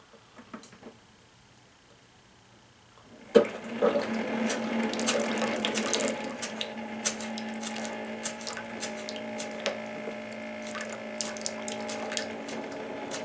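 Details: Keurig K60/K65 that won't brew, possible coffee grounds residue in capsule area: after silence pump starts with steady low drone and sloshing, gurgling water; clog in brew head, top end.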